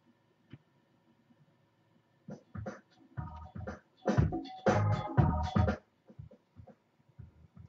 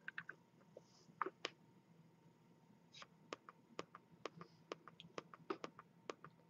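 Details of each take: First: Razer Mako speakers after replacing one capacitor: power on goes straight into music with no startup click or pop. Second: Razer Mako 2.0 speaker, about three years old, ticks sharply over faint hum, about two per second, louder and faster as control pad dims; faulty capacitor, fixed by replacement.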